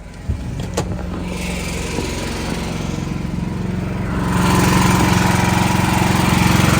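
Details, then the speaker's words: Backup generator running during monthly life-safety test, even steady engine chug that firms up and grows louder partway, no misses or knocks; owner keeps it clean, checks oil and air filter; normal healthy running. "Anyways, that's a good little exercise for the generator."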